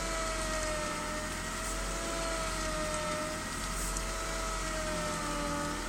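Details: BMW E36 320i with a new MAPCO power steering pump; clear high whine over a steady engine hum at idle, persisting despite several fluid changes.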